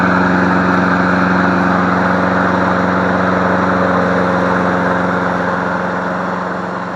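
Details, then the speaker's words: Free MTD Select Series 21-inch self-propelled mower, suspected sheared flywheel key, running on leftover tank fuel: steady even single-cylinder running about 230 beats a minute, no misses, knocks or surging; healthy. "you sound pretty darn good"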